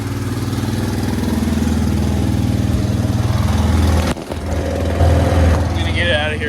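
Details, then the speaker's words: Yamaha Grizzly 600 ATV after sitting upside down 25 ft underwater overnight, new electrical and fresh oil: steady single-cylinder thump about four beats a second, smooth, no stumbles; oil temp light off, slightly smoky at start, sounds fine. "seems to be driving good I mean the oil temp light ain't on sounds fine"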